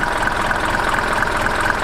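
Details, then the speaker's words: Mercedes T1 van, OM602 diesel, 250,000 miles, after new 115A alternator, tensioner arm, shock and 20mm belt: much quieter steady, even idle with smooth regular beat, no belt squeal or chirp; healthy. "Much quieter. It's honestly so quiet."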